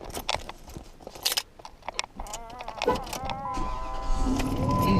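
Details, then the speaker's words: 2005 Dodge Ram 2500 4x4 after blower motor replacement, old motor had worked intermittently then failed: after some clatter the fan whirs up in pitch and settles into a steady rush of air; blower running properly. "Okay, so you should be able to hear that the air is coming out."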